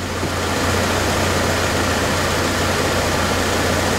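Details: 2001 GMC Sonoma 2.2L, replacement engine warmed up, heat good, temperature good: smooth even low idle, steady hum, no knocks, ticks or misses; healthy.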